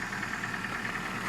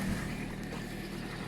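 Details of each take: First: Ford Focus 2, 1.6 petrol 115 hp, 163,000 km, cold morning start, oil due for change after about 7,000 km: a light, regular ticking knock over the cold idle. The cause is unconfirmed; the owner suspects the oil. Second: Ford Focus 2 1.6 115 hp at about 163,000 km, cold start in the morning on oil due for change; low steady idle, knock not yet present but faintly beginning to appear; normal cold idle so far.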